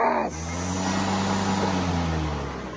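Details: EGO LM2130SP battery lawnmower that wouldn't start, running after fuse replacement: steady, even motor hum with a smooth whir on top, no surging or catching; mower motor running normally.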